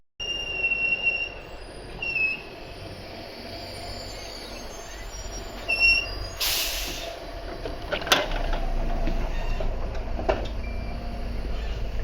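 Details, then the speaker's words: London bus LT39, Transport UK, route 159, recorded aboard while rolling: thin high-pitched brake squeals come and go over low road rumble. The passenger suspects a dragging brake; not confirmed. "This is LT39, operated by Transport UK, which is the world's squeakiest bus. It almost sounds like one of its brakes is dragging."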